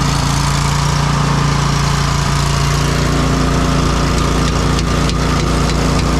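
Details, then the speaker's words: Pink Walker gas mower leaf loader sucking leaves: the engine and fan drone with a flat, thin rush and no strong air pull. The impeller isn't spinning; a clog is suspected choking suction, to be taken apart. "this thing must be clogged up in here so I got to take this apart and if that's not the problem I don't know what's going on with it"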